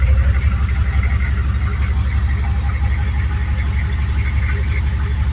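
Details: Turbo 6.2 diesel at idle after adjusting inlet housing pressure, fitting a 195° thermostat and turning up the injection pump with timing corrected: low, even diesel clatter, quieter and cleaner, less poppy, steady with no stumbles; healthy idle.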